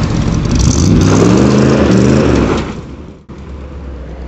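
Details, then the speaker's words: Old Chevy truck running on propane after the propane regulator was rebuilt with a new kit and adjusted, earlier running a little funny: revs up cleanly with a smooth, even note and settles without stumbling; normal running. "But yeah, looks like he's got it working. Sounds good."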